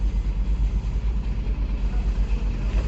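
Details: GMC Tahoe V8 with check engine light and P0300 misfire: lumpy, uneven idle pulsing about three times a second; scanner shows misfires on cylinders 4 and 8 when accelerating, cylinder 4 worst.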